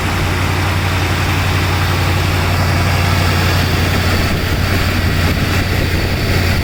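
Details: Freshly rebuilt 429 V8 in a 1968 Ford Thunderbird idling after a cold start, sat 4–5 days, about 30°F outside: deep even rumble with steady low hum, no ticks or misses; exhaust and engine audible, normal idle.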